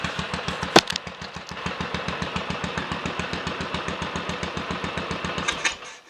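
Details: Royal Enfield 500 single (Asbo 34) after rebuild and adjustments (ported head, barrel shortened 2 mm, Hitchcock's 9:1 piston, strobe-set timing): single kick-start, then steady strong even thump until shut off; starts and runs healthy, not yet road tested.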